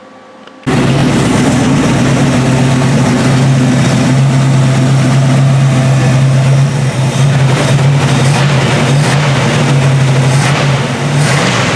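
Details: Dodge derby car V8 running on a newly fitted one-wire GM-style distributor after rewiring, on a hot 92°F day: loud, steady engine rumble with a strong low drone that swells as it is revved.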